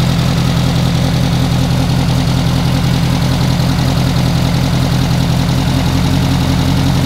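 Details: Renault R8 Gordini rebuilt engine restarted to warm up before carburettor synchronisation and an ignition advance check: a steady, even low idle of about 160 beats a minute with no knocks or misses. The running sound is judged very good; normal warm-up idle.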